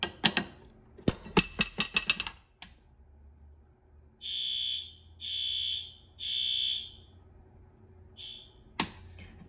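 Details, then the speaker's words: System Sensor L-series white fire alarm horns on a Notifier NFS320C panel in a 1958 elementary school, set to low volume: a few rattly clunks, then three steady, subdued high horn blasts of about a second each; low volume seems quiet and may need raising to high. "this one on low volume out here when I did all these horns, but low volume's quieter on these than I think it is on the advanced, and these don't have a medium volume. So I think they should almost get bumped up to high volume."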